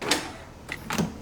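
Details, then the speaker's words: BMW E36 drift car after keyless entry fob install: crisp quick clunks in quiet cabin as door lock actuators unlock and lock; driver's side lock (swapped handle) not locking fully; normal actuator operation here. "I can hear that it unlocks and locks this in it unlocks this one"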